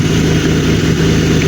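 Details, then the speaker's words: BMW 3 Series M52TU petrol six during an MS43-to-MS42 throttle body conversion, first start-up test before final wiring, steady idle with no rise in revs: engine not responding to throttle. "So, he did not respond now, but I know he's working."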